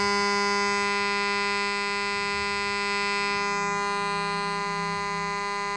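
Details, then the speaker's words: Homemade AC-powered AM transmitter heard on a radio: steady, unwavering buzzy tone with rich overtones, the 484 Hz modulation signal, present only when the transmitter is on; working properly, receivable up to about 6–7 m. "well that is the tone from my transmitter and as you can hear when I switch it off I mean when I switch off the transmitter you don't hear anything when I turn it on you hear something and that is the 484 Hertz signal which I modulate the AM signal"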